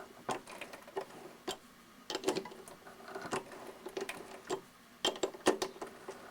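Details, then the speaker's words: Hand threading brass with a die on a 7x10 variable-speed mini lathe, turning about a quarter turn at a time: irregular light clicks and ticks, the earlier squeaks inherent to brass now gone. "you can hear the squeaks are now gone gone not that it was doing any harm or causing any problem to that thread it's just a little bit annoying it's just something inherent in brass when you're tapping or cutting with a thread would it die"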